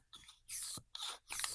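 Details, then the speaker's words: Airsoft AEG gearbox seal test: solid-head piston pushed by hand into cylinder, two sharp hissing puffs of air escaping past the known-defective piston head seal. "voyez, on entend on entend clairement une fuite et pourtant j'y vais pas de main morte. Donc là, on sait que le joint est naze."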